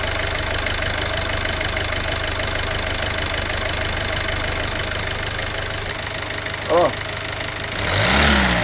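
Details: Peugeot 308 1.6 HDi 8v diesel with Continental injection, at idle before teardown; a light, uneven ticking knock over the usual clatter, traced to a damaged vacuum pump.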